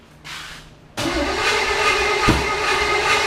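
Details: 1980 Chevrolet Camaro 2nd gen 5.7 small-block V8, first start after distributor timing adjustment and valve check, battery recharged overnight: starter cranks steadily with no catch or firing even with gas squirted; crank no start, timing still being tuned.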